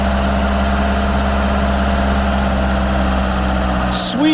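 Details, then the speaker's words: Ford Capri, long-stored garden find: steady, even low idle, clean exhaust note with no misses or knocks, heard at the rear; normal idle. "that's a really even exhaust note that is running really well do that again oh God it sounds good back here"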